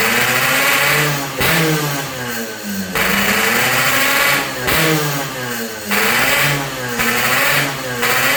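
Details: Yamaha RX King two-stroke after repairs for compression loss (worn right crankshaft seal and O-ring, resurfaced block, fixed head leak), air-screw tuning: blipped about every three seconds, crisp and clean, returning to idle without stumbling; healthy.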